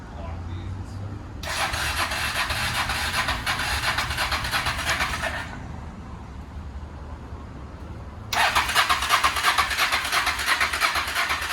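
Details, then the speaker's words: Hawk motorcycle parked since 2009, with cleaned eBay carburetors, cranked with a fuel pump that needs priming: two long starter bursts at about three pulses a second that never catch. Crank, no start; the fuel pump is not delivering fuel. "well remember this bike has a fuel pump so it needs to like prime oh yeah so it might take a second"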